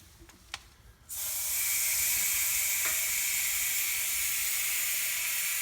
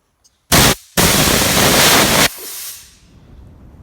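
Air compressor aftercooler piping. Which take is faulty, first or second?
first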